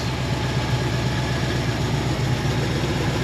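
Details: 1973 AMC Jeep CJ5 idling: steady even low rumble, no stumbles or misses; running nice and strong, healthy idle.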